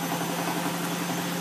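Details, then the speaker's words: Bosch WFF2000 washer on Cottons 90 cooldown with prewash and intensive options, towel load: steady droning hum at low drum speed during spin, held back by suds lock before pump chugs and it ramps toward 1000 rpm. "it's sud water locking, or it was for a minute. Right, and we're slowing down."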